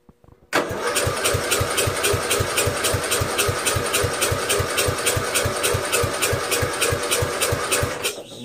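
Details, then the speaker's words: Castle engine swap to 12.5 hp flathead; cold start, starter cranks steadily at about 3.5 compression beats a second for eight seconds but engine never catches. "guess you could call that a cold start fail"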